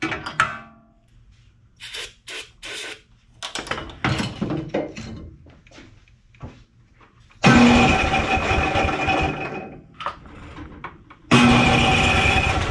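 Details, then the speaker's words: Simplicity snowblower, Briggs & Stratton 12 hp Intek OHV single, after low-compression work and valve cover refit: two cranking bursts, steady turnover, no firing; no start because spark plug broke while being tightened. "huh that was not running and I would have expected it to be running oh good gravy how did we accomplish that I must have broke it when I was tightening it"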